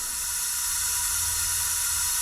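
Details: 1968 Mercury Monterey 390 V8 during a leakdown test, engine not running: a steady high airy hiss of air escaping the cylinder; heavy leakage, likely past the rings, and the owner suspects it may need new rings.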